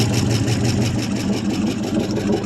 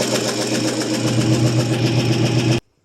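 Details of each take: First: 1974 International 200 two-wheel-drive pickup with a once-seized engine, restarted after possible flooding following about 25 years of storage; the V8 settles into an even, steady low burble with no knocks or misses, idling cleanly, though it smokes from the left side. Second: 1974 International 200 two-wheel-drive pickup, first runs after sitting about 25 years with a freed-up seized engine; ragged, unsteady idle with a light, fast ticking over the exhaust bark. Owner suspects dry lifters (typical International lifter click).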